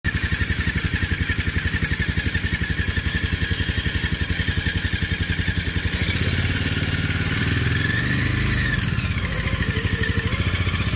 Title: 2018 Polaris Ranger 500 making a whining noise changing with rpm. Look what I found.